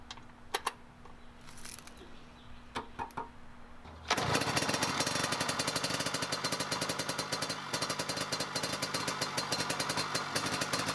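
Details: 1970 Yamaha G6S 80cc two-stroke enduro, off the road over a decade, old oil in the injection oil/fuel mix. A few kicks, then it catches into a fast, ragged, uneven crackle that never smooths out: running really rich, burning some oil.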